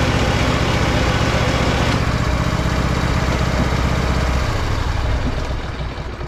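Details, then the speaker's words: Husqvarna riding mower pulled into the shop with a terrible noise while driving; the dipstick was dry and took a full quart of oil. Rough, lumpy idle with a steady gritty rumble, clutch in and out; worn idler pulley bearing. "I'll put you guys on the tripod and you can hear this how noisy this is trying to pull it into the shop"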